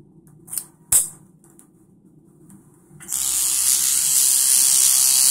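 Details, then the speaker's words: Centri Cobra tattoo machine with Switch, rubber band set up; steady high buzz, smooth and even, doesn't clank much once set up with needle tension on the armature bar. Normal running. "When it's set up, you'll notice it doesn't really clank a whole lot."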